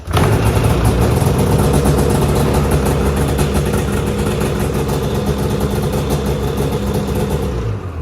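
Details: Snowmobile clutch-started by rope after electric and pull start failed, kill switch off and key on: engine catches immediately and settles into a steady, even buzzing run with no misses; normal running.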